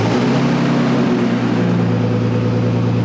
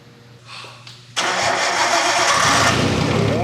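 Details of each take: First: Nissan R32 Skyline first start after sitting 4 years without oil circulation: steady, even idle hum with no ticking from the top end, head surprisingly quiet; normal idle. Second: Nissan R32 Skyline on a fuel cell, no exhaust, first start after four years: it cranks, catches with a rough roar for about three seconds, revs briefly, then dies. Brief start then stall; partial misfire suspected.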